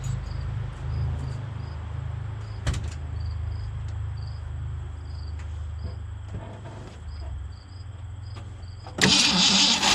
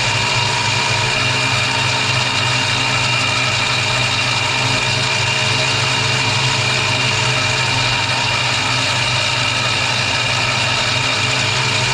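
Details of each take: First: 1965 Mustang 289 V8 at its first start after a camshaft replacement, after sitting a while, given some gas. Uneven cranking for several seconds before it barely catches; fuel not yet pumped from the tank to the carburettor: slow start. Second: 1965 Mustang 289 V8 after a camshaft replacement: a steady idle with even low pulses and constant speed, no misses or knocking. It idles normally.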